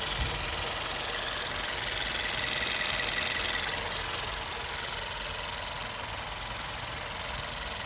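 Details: VW Golf 6 Comfortline "122 TSI", engine hot at idle: fast, fairly even ticking with a steady thin high whine on top. The source of the warm-engine noise is unknown.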